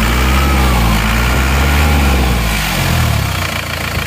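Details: Isuzu Panther diesel just after reused original liners were reversed ('balik liner'), idling hot after a 50 km test drive; steady even clatter, no knocks or hunting, no more smoke from the oil filler, only normal oil vapor.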